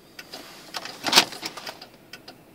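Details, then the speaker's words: 1995 Cadillac Fleetwood turn signal: sharp dry clicks, uneven and quicker than a normal blinker, speed varying and gradually slowing. Faulty turn-signal socket suspected. Fast flashing. "it's blinking even faster you know like I don't understand it"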